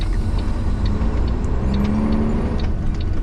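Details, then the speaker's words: Truck driving just after a new driveline carrier bearing install: over road rumble, a thin squeal rises briefly and fades from underneath, like a dry bearing or belt. Owner suspects a spinning dust cover on the sealed bearing; unconfirmed. "almost like a uh bearing with no grease foreign no it almost sounded like like a belt squeal but from from back here it's a sealed bearing"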